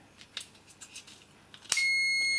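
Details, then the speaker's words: DeWalt 9in angle grinder that stopped working; after a few clicks of pressing the new replacement switch, the meter gives a steady continuity beep, confirming the switch works. The old switch was the faulty part. "you can see that we've got continuity. So, as soon as I put this switch in there, we should be good to go."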